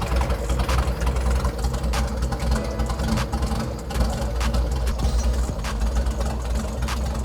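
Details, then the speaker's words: Kraftwerks/Porsche 917 race car with freshly rebuilt PMO carbs, running on the left throttle only before balancing: a lumpy, loping, uneven idle; runs poorly because the carburetors are unsynchronized. "You can hear there, I'm running the left throttle. You can hear that it doesn't run too good there."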